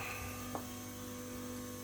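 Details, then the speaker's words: LS-swapped G-body Cutlass with Holley system, key on after replacing a failed PDM relay that had caused only a brief boom: steady low electric hum with faint even high whine; fuel pump primes normally. "All right, just so I can shut this video out real quick, show it working. Fuel pump."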